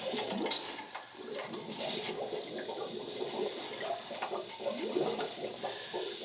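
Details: Heating system refilled after replacing a freeze-damaged cast iron radiator, at a copper convector with the circulator running: irregular gurgling and trickling water; air still trapped, needs bleeding again.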